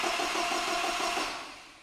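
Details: 1975 Land Rover Series 3 with a newly rebuilt engine, cranked on the starter button to build oil pressure before priming the fuel: even, rhythmic starter churn that winds down without firing; healthy cranking, oil pressure built.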